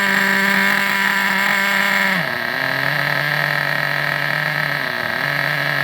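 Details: Vintage Traxxas nitro RC buggy engine on the bench: high, buzzy running, revs dipping briefly twice, otherwise smooth and even; running normally.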